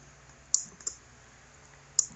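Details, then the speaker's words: Linear actuator motor on a guessed-wired control box (motor 1-3 ports plus HS controller): a few light sharp clicks in pairs with no motor hum; it clicks and tries but never moves. "that's clicking and that's trying. That one never moved."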